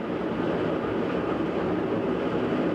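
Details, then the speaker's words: GE washing machine, about two years old, running its balance spin with no water before spinning up, giving a loud steady freight-train roar; owner attributes it to a failed bearing, unsure whether tub, transmission or motor bearing. "so that's it just doing its balance spin hasn't even spun up yet it already sounds like a freight train"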